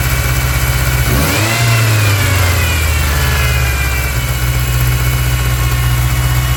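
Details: 1999 Ford Ranger 2.5: revs up briefly then settles back to a loud, slightly uneven idle with a faint hiss over it; a massive vacuum leak.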